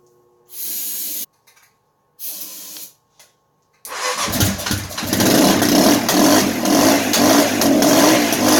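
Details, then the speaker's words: Kawasaki KLR650 (1989 KLR650B, possibly a 1987 model), auction bike with no key, started using carb cleaner. Two brief cranking bursts, then the single catches and settles into a steady, even thumping run with no misses. "Well, the wife's not gonna be happy, and neither will the neighbors, but she's a runner, guys."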